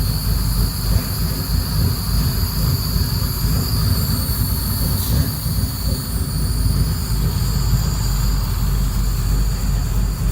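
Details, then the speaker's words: Second start of a freshly built engine, cold, during a vacuum check. It ticks over slow and heavy with a deep, uneven rumble at about 550 rpm, below a normal idle of around 625–650; the idle is still a little low. "conditions okay well that's still a little low here of course it's a cold engine probably about 550"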